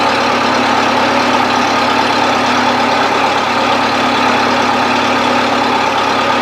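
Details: 1970s Bobcat 610 skid steer idling after a choked start: steady, even idle with a constant drone, no knocks, misses or surging. Healthy normal idle.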